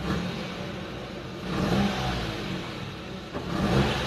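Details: Car after periodic service, two throttle blips at idle: the revs rise cleanly and drop straight back to a steady idle; normal throttle response.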